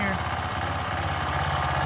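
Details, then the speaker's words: Craftsman 190cc 8.75hp 3000 psi pressure washer (model 580.754881), Briggs & Stratton engine 122S02-0127-F1, Quiet Sense idle-down system: governor spring (part 209) left off, so with gun open the engine stays at low steady idle, never reaches full throttle, may die. "When you open up the gun, it's supposed to go to full bore. As you can tell, it's still in the idle position, and in some cases when I let go, it's actually going to kill it."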